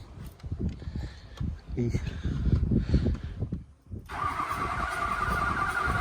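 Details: Mud truck diesel after fire damage, unmoved since February, with replaced 90-degree EGR-area hose and new glow plug control module: clatters a few seconds then steady even running, no knocks or misses; normal running.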